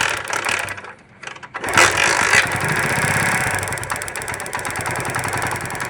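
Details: Kick-start motorcycle after restoring missing ignition spark by rewiring and refitting the CDI: a brief quiet, then the single catches on the kick and settles into a steady, even putter; normal start and idle.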